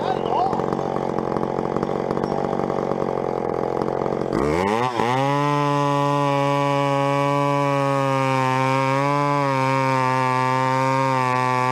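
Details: Vintage chainsaw, unknown when last run, chain a little dull, cutting a 14-inch piece of wood: rough, noisy cutting gives way to a clean, steady high-pitched scream wavering slightly with load; runs strong, normal.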